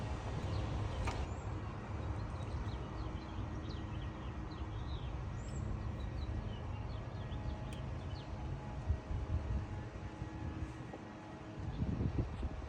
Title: 2011 Nissan rogue, crank but no start #automobile #mechanic #diy